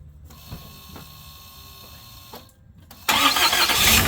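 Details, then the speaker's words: 2004 Lexus GX470 after starter replacement, with new ground cables and heater hoses: engine catches instantly with no long cranking, no hesitation or delay, settling into an even idle; the new starter works properly. "as you guys can see I mean it it fired right away I mean no hesitation no delay no hard starting"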